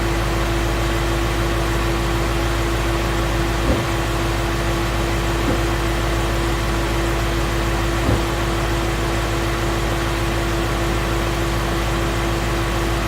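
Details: 2016 Mustang Coyote V8 at operating temperature, 1k miles after oil change: steady, even idle with smooth low rumble and constant pitch, no ticking or knocking; very smooth, normal engine, no tick.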